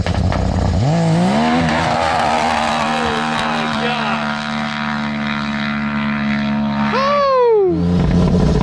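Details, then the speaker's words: Can-Am Maverick X3 built to about 500hp with bigger turbo, launch once boost restored: revs climb fast then hang flat on the rev limiter with a choppy stutter before upshift, blowing through the clutches; clutch engagement tuned too high, needs clutch adjustment. "okay she's alive now it was just all over the rev limiter there so you could definitely hear coming on boost on the line this time left a lot harder just blew through the clutches so we got some serious clutch adjustments to do"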